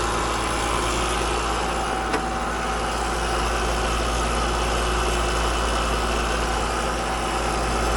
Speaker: Now I'm just going to check, since it's so noisy and chattery, it just sounds like we're getting too much refrigerant back to the unit. So I'm going to check the refrigerant levels and see what we got.